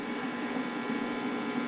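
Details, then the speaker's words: Mid-1960s Soma tube 4-speed record player, single-tube amplifier, cartridge giving almost no output: touching the hot amp-input lead gives a strong, steady hum through the speaker — amp has plenty of gain, normal. "touching the hot lead going to the amp input, and the amp is plenty stout for a single tube amplifier."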